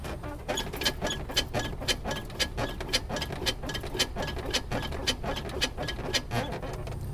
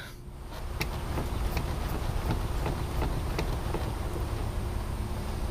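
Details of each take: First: Polaris Sportsman 570 ATV: sharp, high squeaks about twice a second as the suspension is worked, from dry, unlubricated pivot joints after riding in mud, dirt and water; fixed by lubricating. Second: Polaris Sportsman 570 ATV suspension worked up and down after greasing and silicone-spraying the joints: only a low thud and faint soft clicks, the earlier squeak gone.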